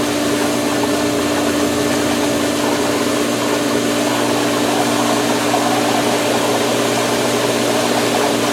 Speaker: There's still a lot of air in there, but there now Robot is devoid of air and is roboting around or will